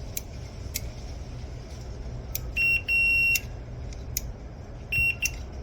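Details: Admiral washer lid switch (WP8318084) tested with a meter across the terminals: clean steady beep each time the probes bridge the switch, solid tone with no dropouts; the new replacement switch has continuity, unlike the old failed one.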